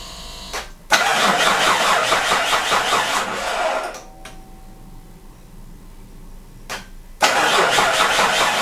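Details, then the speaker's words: Mitsubishi Pajero 3 GDI just after replacing the injection-pump (ТНВД) fuel filter, started to check fuel pressure: starter cranks rhythmically about three seconds, pauses, cranks again, but the engine never catches; cranks, no start. "Поменял фильтрик ТНВД. Машина не запускается."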